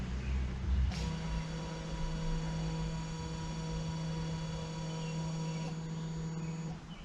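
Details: Honda Civic Type R, rear electric parking brake put into brake pad maintenance mode with an Autel MaxiAP tool, parking brake released, battery over 10 V: steady low electric hum for about six seconds as the caliper motors wind back; normal.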